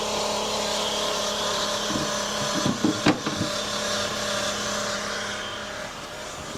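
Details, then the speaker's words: 2019 Chevy Cruze 1.4 turbo, 70,000 miles: steady low whine under knocks, loud noise; not the purge valve as hoped, seems from transmission area, shifts oddly, no fluid leak; cause unconfirmed. "Anyways, that sound was absolutely not a purge valve. Sounds like transmission area, which is fantastic."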